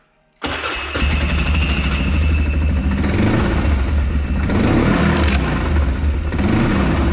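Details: Can-Am Outlander ATV engine runs with an uneven, lumpy slapping rhythm; opened up, the CVT drive belt was found disintegrating.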